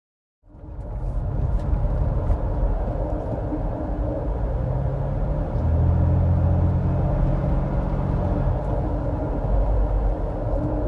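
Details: 2009 Nissan Xterra rear wheel bearing that has lost its lubrication from friction and heat: a deep, steady rumble and droning hum that swells with road speed; fixed by regreasing the bearing.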